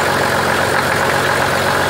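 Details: 1985 Oldsmobile 98 diesel, started after brief glow plug time, with a larger replacement tensioner pulley: loud, steady idle clatter with no lurching, belt slap or squeal, where the belt previously jumped around; smooth normal idle.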